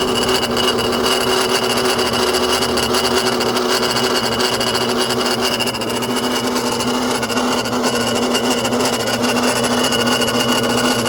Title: n54 grinding noise. AC maybe?